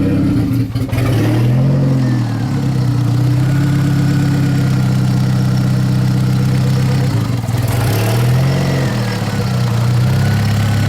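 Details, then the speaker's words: Big-turbo VW GTI after a rebuild, on jack stands, running on a reflashed spare ECU after the original fried: it catches, blips twice and settles to a steady idle with no knocking. Rich air-fuel ratio, decent vacuum, oil pressure good; normal idle. "there you have it beat up gang big turbo GTI runs"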